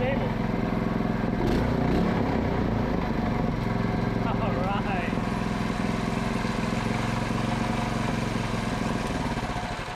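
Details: Predator 224cc Max Performance engine with milled, ported HEMI head and stainless valves, first run after rebuild, choke on: fast, even single-cylinder putter with no knocks or misses; runs clean and healthy.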